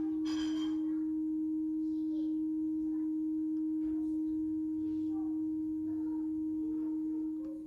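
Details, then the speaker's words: TEAC V-1050 cassette deck playing back a 315 Hz test tone at 250 nWb/m: clean, steady tone with no wavering or beating and correct level; normal playback. "І йде чистий тон. Е, не відчувається биття. Рівень відповідає тому, що має бути."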